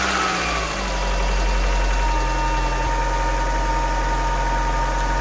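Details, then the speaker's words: Car jump-started with Autowit SuperCap 2 after about seven minutes charging: brief crank, then catches and settles into steady even idle with low hum; healthy start. "so it worked i i had my doubts but um yeah it works"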